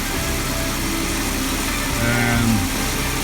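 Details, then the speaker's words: 2004 Jeep Grand Cherokee WJ 4.0 inline-six, wheels off the ground, after new timing chain and tightening loose water pump pulley bolts: smooth, steady idle with no tapping; earlier tapping noise gone. "tapping noise that i was hearing yesterday is gone so i'm happy about that [Music] and it's running pretty good"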